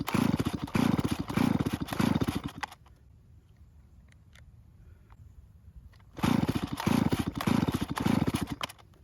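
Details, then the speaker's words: Stihl chainsaw that won't start, no purge bulb so early pulls draw fuel from the tank: two runs of rapid cord pulls, engine chugging and never firing; fuel not reaching the carburettor. "That means the first several pulls are used to help pull fuel from the tank instead of starting it. So just be prepared to make a lot of pulls before it even tries to start."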